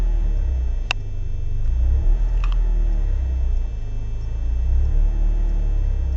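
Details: BMW E36 318is coupe, M42B18, rough idle the same cold or warm: idle rumble surges and sags about every second; smoking, higher fuel use, no leaks found, ICV and MAF cleaned; cause unknown.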